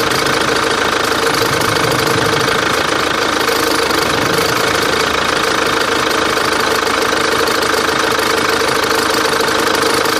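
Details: Antara engine at idle with an unwanted noise: a fast, fairly even knock of roughly three per second riding over the engine note; source not pinned down.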